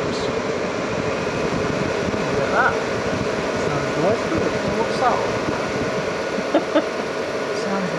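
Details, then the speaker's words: Cheap 12 V battery charger with current turned up, which leaks about 103 V to ground and shocks at the connectors: constant frying-like crackling hiss with faint buzz; electrical connectors inside suspected arcing or overloaded, not confirmed. "let's try and get the sound of it you get a lovely sizzling sound like you've got a nice burger on the grill yes is"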